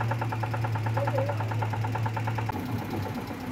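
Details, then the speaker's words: Renault 9 engine at idle: a rapid, regular light knocking rides over an uneven low rumble; the owner says there are clear signs of knock and suspects the bearing shells, not confirmed. "есть явные признаки стука и мотор мабуть скорее всего вкладыши"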